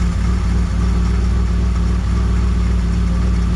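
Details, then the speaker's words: 1963 Mercury Comet 260 V8, not driven on the road in 25+ years, Autolite 2100 carburetor still needing rebuild; steady, even, quiet low idle with no misses or knocks, runs good despite the carburetor; power valve possibly blown. "number one old carburetor needs to be rebuilt but man she runs good sounds good quiet when you do that"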